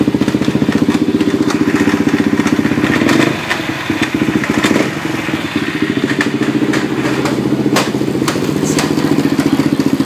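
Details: Quad (four-wheeler) running under load mainly in second gear; irregular thumping, clattery noise over exhaust drone, abnormal drivetrain noise.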